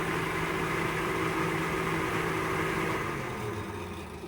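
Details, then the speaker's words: RV 12-volt fan running after the glass-fuse panel was replaced with a modern fuse panel with indicator lights, cabin at 58°F: smooth, constant low hum with a steady tone that tapers off at the end; fan works normally. "Our fan's working. And that light's working."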